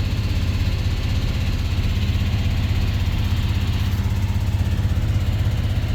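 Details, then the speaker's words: 48-year-old GMC squarebody C25 truck after a tune-up, cold idle on choke: steady, even low rumble with a regular firing beat, no knocks or misses; choke working; healthy normal cold idle. "Success. Choke's working."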